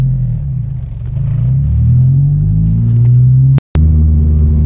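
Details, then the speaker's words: Honda Civic EP3 with a suspected idle control valve fault: low engine rumble whose idle dips and hunts as the car slows instead of settling, ongoing since purchase. Owner suspects the ICV; cause not confirmed. "so there's a drop in the RPM so I can rev it and it will drop now it's been doing this since I own the car"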